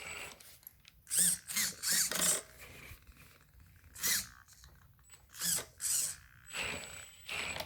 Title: Brand new FTX Kanyon grinding sound